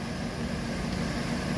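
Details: Car engine after new water pump with failed bearings, new tensioner and idler pulleys, old belt kept, warming up toward thermostat opening: steady, smooth low idle hum, no knocks or squeals; now quieter and healthy.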